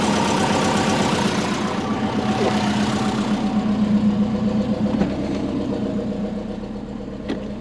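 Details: Built turbo Subaru Forester after fitting a new oil hose fitting and refilling oil, checking for leaks, oil pressure around 100; steady, even idle with regular beat, no knocks or misses; normal idle.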